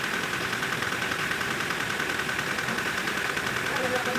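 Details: Toyota Hilux diesel after general overhaul for blow-by; steady, even diesel idle with no knocks, misses or hunting, sounding smooth and healthy.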